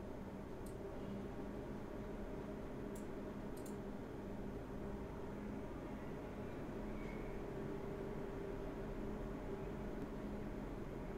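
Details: MSI RX 480 Armor OC 8GB graphics card fan noise test: very quiet, smooth airy whoosh with a faint low hum, no rattles or whine. Normal fan noise.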